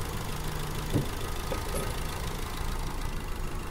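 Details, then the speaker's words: 2020 Chevrolet Captiva 1.5 with a cylinder misfire: low, uneven idle with occasional stumble and thump; coil 1 gets only a weak firing attempt from the engine computer, suspected failed coil driver in the ECU. "miren tenemos este intento de que haya activación por parte de la computadora pero no lo logra hacer Tal parece que hay un fallo en la computadora del motor"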